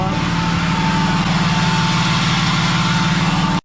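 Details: 3rd-gen diesel truck just fitted with BD Diesel 90 hp injectors, first revs after startup (light smoke from oil and brake clean): strong, even drone with a smooth pulse and no misfire or rattle; it runs healthy.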